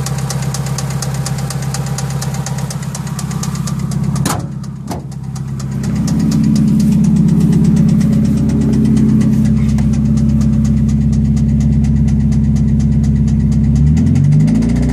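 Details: Idling engine with a hard, regular knock, nearly three beats a second, holding steady; first thought an HLA tick, it proved to be rod knock when the engine later blew.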